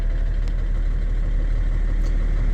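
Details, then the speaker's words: BMW E60 530d diesel idling after unplugging the IBS battery sensor's small cable: deep steady diesel rumble, even smooth beat, no knocks or misses; starts and runs normally, confirming the faulty IBS sensor caused the no-start. "Là, je vais retirer la petite cosse. Je vais retenter mon démarrage. Et là, elle démarre directement."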